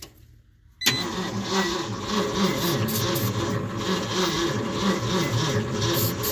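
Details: One-ton truck that sat in a field for 20 years, cranked on a jump pack after its battery failed: the starter spins the engine with a steady churning rhythm but it never catches; cranks without firing.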